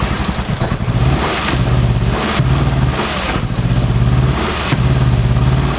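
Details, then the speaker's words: Hand-built 2.5L swapped first-gen Subaru Crosstrek with old injectors refitted: uneven lumpy idle with irregular stumbles and surging beats; rough running misfire, owner suspects fuel injectors, unconfirmed. "This front one feels, yeah, they all kind of feel warm, but you saw it, like it was running pretty rough. But it honestly might be fuel injectors."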